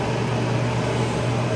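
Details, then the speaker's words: Kenmore 80 Series electric dryer after motor replacement, on air dry with no heat and the drum spinning the reverse way: a steady low hum with no squeal, thump or scrape. The belt is straight and the drum runs smoothly. "There, it's running. So it's running here. And Perfect. The belt's nice and straight. It sounds no different if the, you know, it's running on its felt there."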